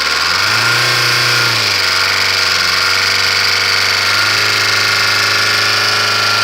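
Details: Mercedes OM601.970 diesel idling: a hard metallic rap rides over the clatter after a brief rev; engine knock of unknown cause.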